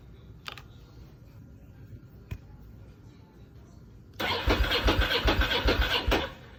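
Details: Ducati M750 ie cranking about two seconds at roughly four pulses a second without catching; no fuel pump buzz when key turned ON; fuel pump not working, crank no-start.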